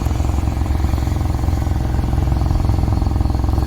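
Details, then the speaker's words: Idle heard at the tailpipe, exhaust still abnormally hot and pushing out water droplets: uneven, lumpy puffing about 3.5 beats a second; misfire, with one seized spark plug left unchanged and seized too early for the mileage. "현재 주행거리 상태로 봤을 때 플러그가 너무나 빨리 고착됐다는 것이 아쉽습니다."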